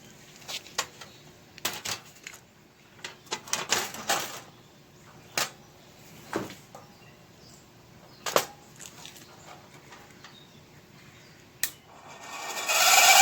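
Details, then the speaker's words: Vintage window fan: uneven sharp clicks, roughly three a second, over a quiet fan run from a dry shaft bearing; noise disappears after oiling the centre rod. "sounds like that one's gotta be oiled just outsides okay but this one having a lot of problems that noise I'm hearing there the rod in the middle trying to oil that up"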